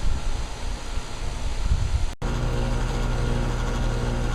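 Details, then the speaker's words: Payne heat pump outdoor unit started by manually pushing in the contactor; after a brief drop-out a steady low compressor hum runs evenly and the pipe gets cold, so the outdoor unit is fine and a wiring break to the thermostat is suspected. "Okay, the pipe is getting cold. That means the outdoor unit is fine."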